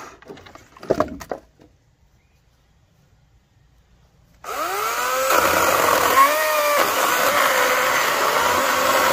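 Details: Greenworks 80V chainsaw on a full charge cutting oak sawmill slabs: after a pause the motor whines up, pitch sags and recovers as the chain bites; normal cutting operation.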